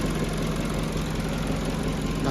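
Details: 2011 Peugeot 207 after fixing stalling, misfire and rough idle, cylinder 4 compression now 170 PSI: steady, even idle rumble with no skips, knocks or hunting while warming up to relearn idle; normal idle.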